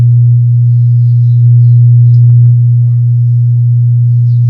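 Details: Wordstar WBL 160 Plus active speaker, opened and switched on with a multimeter temperature probe on an output IC. A steady, unwavering low hum plays while that IC's temperature rises quickly, showing a shorted amplifier output chip.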